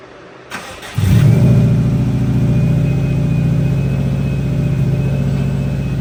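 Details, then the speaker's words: Newly installed GT3076R Pulsar turbo (T51R mod) with rotated setup and custom intercooler pipes, still in break-in, driving: engine pulls hard with deep roar and faint high whistle rising; normal turbo spool. "I don't if you can hear this on video but see if you can hear it got Jing and spooling over here"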